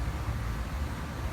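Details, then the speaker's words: Overheating tandem scroll compressor set, found hot, about 220 degrees by infrared, pressures swinging 30 to 50: deep steady drone surging slowly up and down, sounds like loading and unloading; compressor cycling load and unload. "that's going up them down it sounds like it's loading and unloading"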